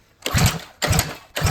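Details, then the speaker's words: Motovox mini bike carburettor running a size 32 pilot jet: three short cranking bursts about half a second apart that never catch; lean pilot circuit, jet too small. "Alright, we're gonna get this carburetor tuned up and then we'll get it running. Alright, Holden's putting in that new pilot jet into the carb. Turns out it was running a 32."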